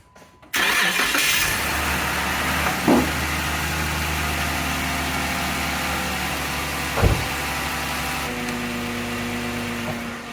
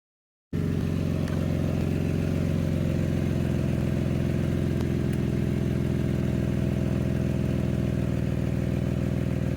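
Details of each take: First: Jeep after an exhaust leak, which appeared after getting stuck in mud, was repaired by reseating and evenly tightening the exhaust joint: the engine cranks and catches quickly, then settles into a steady, even idle with no ticking or puffing. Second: Jeep at idle after being stuck in a mud hole sounds loud, deep and tractor-like, putting along; exhaust gas escapes at a flange joint, suspected to have separated when an exhaust loop got hit, with leak confirmed using a lighter flame.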